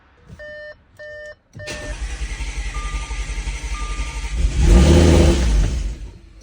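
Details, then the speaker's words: Audi S5 3.0 L supercharged, rebuilt with new timing chain, first start after refilling 7.2 quarts oil: chimes, a few seconds of rhythmic cranking, brief catch and surge, then dies; starter and wiring work. "it started but it died but it started what is life"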